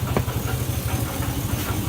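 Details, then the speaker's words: 2004 GMC Sierra 1500 V8: steady idle with a quick, even low knock on every firing pulse; oil pan inspection showed bottom end clean with no metal, and transmission side suspected. Cause suspected, not confirmed. "I have a 2004 Sierra 1500 with a poor point a engine you hear this noise why is this"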